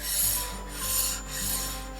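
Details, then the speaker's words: NIU KQi3 scooter brake with fairly new pads adjusted too far in: a rasping scrape swells and fades once per wheel turn as the pad rubs the disc; fix is backing the pad off slightly. "that grinding noise. So what we want to do now is just back it off very slightly."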